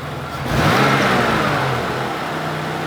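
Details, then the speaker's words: 1994 car with OBD1 and no stored codes, idling: the engine blips up, hangs high and drifts slowly back down, with an uneven idle afterward. The throttle body is suspected never to have been cleaned. "let's start it up and you can see by the spark plug wire bounce around a little it's got a little uneven item and you can see it does take a little time for it to light them back down"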